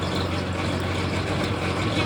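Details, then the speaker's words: Small engine on vintage gold trommel driving water pump, slowed by larger pulley; even low drone without surging or pulsing, water flowing more consistently in the chute; normal running, steady pump flow. "Now I got water in the chute. And it's more consistent. It's not so pulsy."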